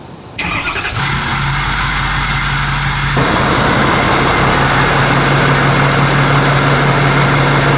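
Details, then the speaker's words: 6.7L Powerstroke diesel first start after fitting 64mm Stage 2 KC/PSC Whistler turbo and new tune: starter whirs briefly, catches within a second, settles to steady even idle with no knocks; healthy start. "I wanna make sure we do have the tunes, so I'm ready to fire it up. Let's fire it up."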